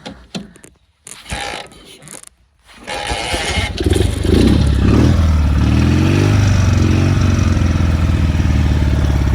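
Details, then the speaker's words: BMW R69S twin, cold start at about 40-50 degrees after tickling carbs; one priming kick then fires and settles into steady even low-pitched idle; normal cold start and idle. "one priming kick and then it fired. All my bikes start first kick, as you know."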